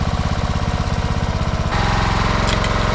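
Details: 2008 Troy-Bilt Pony riding mower after bent push rod replaced, choke off; small single-cylinder engine chugging steadily about 170 beats a minute, note lifts slightly midway; smooth, even, running healthy, smoke cleared.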